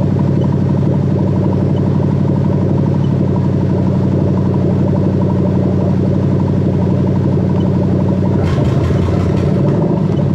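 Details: Toyota Crown 3UZ-FE VVT-i V8 with adapted plug-and-play harness for a Lexus IS200, 6-speed automatic, during harness testing: smooth, even hum at steady speed with a clean rise near the end, no knocks or misses; running healthy.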